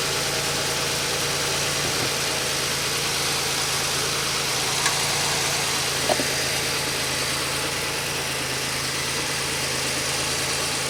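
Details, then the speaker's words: 2003 Pontiac Grand Am GT coupe, cranking voltage 11.16 V: even, steady idle with a smooth low hum, no knocks, misses or surging; engine running normally. "sounded normal to me it cranked at 11 16 so that's good"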